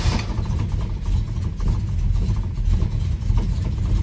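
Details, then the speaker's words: 1976 Dodge Dart Swinger with a 340 V8, after small fixes: it catches and settles into a firm, even low rumble with a steady pulse and no stumble, a normal, healthy start and idle. "there's the difference between a grumpy hunk of fairly drivable junk and a sweet running car it's a little stuff here's how it starts now"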